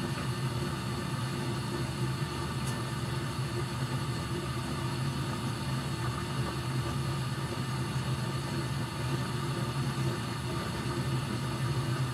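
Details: Furnace being checked for short cycling, safety switch held on, burners lit, watching for flame rollout once blower starts: steady, even low blower hum, no surging, clicking or cutting out; running normally.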